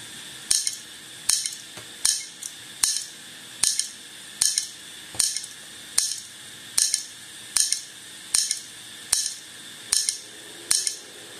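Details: HP all-in-one 22-inch PC: crisp metallic click repeating steadily a bit more than once a second against a quiet background; hard disk clicking like a failing drive.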